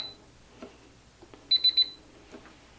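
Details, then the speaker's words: Onnais HX-008 Gen 2 biometric pistol safe: one short high beep then a quick triple beep as the left thumb is not recognized; the right thumb used at enrollment opens it without problems. "one thing to note is I used my right thumb when I set it no problem if I use my left thumb I can't get it to work"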